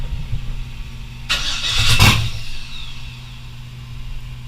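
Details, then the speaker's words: First start of an LS-swapped S10: a brief harsh slapping clatter as it fires, then a steady idle. The accessory belt kicked out to the outside while running and is hitting a bolt. "and it's hitting that bolt. So it actually kind of kicked out to the outside of it when I was running it there for a second, which is not ideal."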